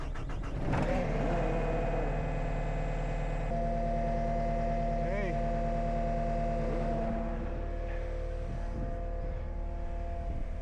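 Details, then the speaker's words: Cat 279D3 skid steer (about 2019) diesel after main drive hydraulic hose repair: cranks, catches quickly, then settles into a steady, even run with a clean, stable hum, no misses or knocks. Normal start and idle. "let it run for a little bit. Sounds good."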